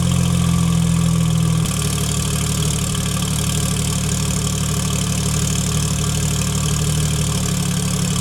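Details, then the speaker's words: Porsche 991.2 911 Turbo S with newly installed custom headers, cold start: a raised idle settles after about two seconds to a lower, steady, quiet drone, even and free of ticks; healthy cold start. "the car's on as you can hear it's like in complete quiet mode right now"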